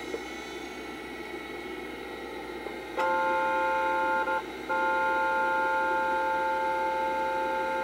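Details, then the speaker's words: SCSI hard drive in a 1986–1990 Macintosh Plus spinning up before boot. Several steady high tones come in, dip briefly, then hold level at operating speed. The drive sounds unusual but shows no signs of failure: a normal spin-up. "also one of the most unique sounding drives I've ever had um it shows no signs of failure it runs perfectly fine but listen to it start up"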